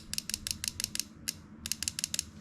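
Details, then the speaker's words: Fuel injector on a DIY cleaning kit, powered by a battery on the bench before cleaning: sharp, crisp ticks in two quick runs of about five or six, evenly spaced; injector opens and closes properly. "that click? That means it's all set."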